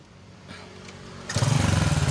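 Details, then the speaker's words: Small Indonesian underbone motorcycle that seized after running out of oil. Oil poured through the spark plug hole freed the piston, then it was started: it catches into a rough, choppy putter with a smoking exhaust. This is a temporary emergency fix; the piston is suspected loose and needing replacement. "Bagus teman-teman Motor ini kembali hidup bisa hidup knalpot ngebul karena tadi kita udah ngasih pelumas pada ruang bakar"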